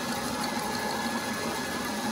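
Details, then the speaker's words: Old manual three-phase lathe now running on single-phase 240V through a VFD, heavy cut on a big steel slug: steady even motor hum and constant cutting hiss, no drop in pitch or bogging; machines as well as on three-phase. "That's a healthy depth of cut right there. And it's not bogging at all."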